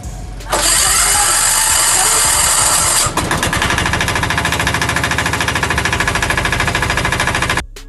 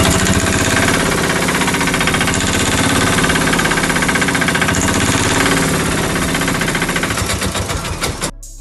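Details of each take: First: Bajaj auto-rickshaw diesel engine, whose sound had changed, after head gasket (head packing) replacement: brief starter burst, then a settled diesel clatter with an even beat near three per second and no knocks; engine sounds better than before and healthy. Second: Bajaj auto-rickshaw (Maxima) engine, sound changed: rough, rapid clattering beat about four per second until it shuts off; head packing/head gasket blown.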